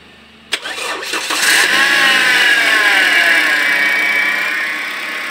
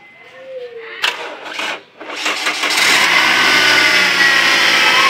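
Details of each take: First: Toyota Altis gasoline engine with a hard starting problem; brief crank, then it catches at once and rises to a steady, even idle, a clean prompt start. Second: Toyota Altis gasoline engine with hard-starting problem: starter churns a couple of seconds with a stumble before catching and settling; cause not evident.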